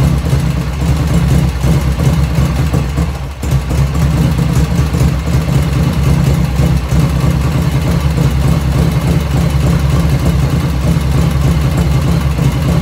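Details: 1985 Harley FXR V-twin idling just after first start, still cold at about 49°F ambient, right after a float setting: deep, loping potato-potato beat with no ticking or misses and one brief dip early on, lifters dead quiet; normal idle.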